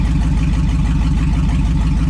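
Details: 2002 2500HD parts truck, possibly 622,000 miles, on old gas possibly with water; over 40 psi oil pressure, alternator charging, no check engine light; deep even V8 burble at idle, no knocks or misses; healthy.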